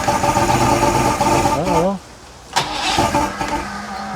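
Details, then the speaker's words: 1980s Mercury 150HP Black Max V6 two-stroke outboard, about 40 years old, first start after syncing carburetors and priming fuel: catches, runs rough about two seconds, cuts out abruptly, then sputters back weakly; stalling start-up, possibly fuel delivery. "Come on, buddy. This poor old motor's been through some hell. There we go. Come on."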